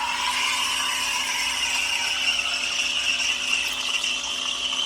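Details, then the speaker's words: Schaerer Power Steam espresso machine with the wand tip half submerged in the corner of the pitcher: steady bright hiss without sputter as air is drawn into the milk; normal microfoam steaming. "if you listen carefully you can hear the hissing sound. That's the sound of air being pulled into the milk to create your foam."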